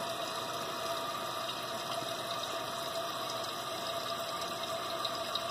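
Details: Toilet after repair of continually running leak, float adjusted for fill level: steady, even hiss of water refilling the tank with no sputter or surging; fill valve refills normally, no leak.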